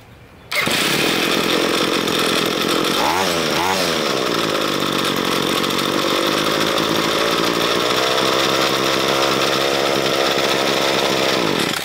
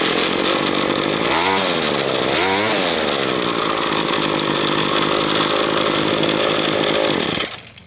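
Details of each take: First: Two-stroke string trimmer with diaphragm carburetor cleaned with GumBuster, while adjusting the throttle plate idle speed: fast, buzzy, high-pitched idle that never settles; idle speed set too high. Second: Ryobi ES30 two-stroke string trimmer after carburetor cleaning with GumBuster and mixture and idle speed adjustment: steady high buzzing note with brief rev swells, then cut off; now running properly tuned.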